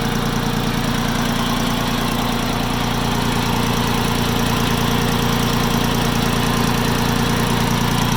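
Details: Farm Pro 2425 tractor diesel at idle, warm, with a fairly even knock of about three per second over the clatter. The knock appears 5-10 minutes after a cold start; cause unknown.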